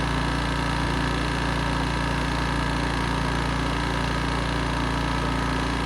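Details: 1980s Honda EX650 generator, flathead engine, after choke cable fix for hard starting, started within a few pulls: steady, even chug at settled idle with no misses or surging, no load yet; normal idle.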